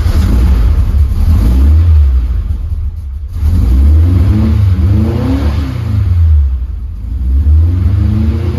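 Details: Split-screen VW air-cooled flat-four running after a new engine bolt was fitted: deep, even burble rising and falling smoothly with each throttle blip, no knocks or misses; healthy.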